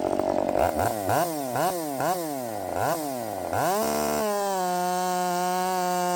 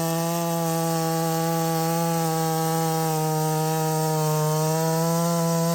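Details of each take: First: Redmax 5000 chainsaw with 16-in bar, .325 steel RS chain, likely 8-pin sprocket, after wide-open exhaust port muffler mod: several sharp revs, then one screaming steady note at full speed in the cut; strong, clean-running, feels blazing fast. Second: Redmax 5000 chainsaw, stock muffler, 16-inch bar, freshly sharpened steel RS chain, 8-pin sprocket, warmed up, cutting: steady high scream around 11,400 rpm in the cut with slight dips; pulls revs less well than with the 7-pin sprocket.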